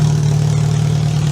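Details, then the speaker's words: Demolition derby car engine at first start after build, fuel pump and computer powered; deep steady even rumble, no knocks or misses, though oil pressure reads only about 50 psi; normal idle. "So we got the fuel pump on, we got the computer powered, and we're gonna touch it. I think that thing runs pretty damn good."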